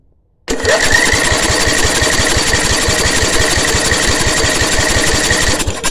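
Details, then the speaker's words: Briggs & Stratton 10 hp petrol engine with new spark plug and new coil, spark now present after killswitch removed; steady cranking chuffs on choke with no firing. It only fires when petrol is poured in, cranks but won't start. "take it off Troke won't far up so I'm going to put some petel down in there now and it will fire up"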